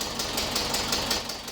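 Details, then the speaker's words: 1976 VW Westfalia Type 2 bus with a replacement used air-cooled engine, at its first start. Quick, light ticking about five or six per second over a rough idle while the hydraulic lifters pump up. Lifter ticking. "Oh, it sounds really good. It's got to pump up the lifters, so the clicking that you're hearing is from the lifters."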